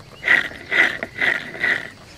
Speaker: this is the motor that's in the uh condensing unit there also a AOS Smith motor and these basically are just sleeve bearings they're permanently lubricated and they just they fail eventually there's a a lot of play in that shaft